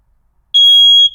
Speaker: you hear the beep, and you know that the battery isn't dead.